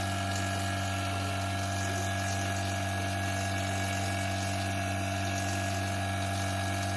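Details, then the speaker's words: Vacuum pump evacuating a DIY-installed split heat pump through a manifold with its valve open, drawing air before the refrigerant charge: steady, even motor drone with low hum and faint airy hiss; normal running. "It is open, and if I close this, then it cannot suck. But if I open it, then it will take air, and you hear the sound."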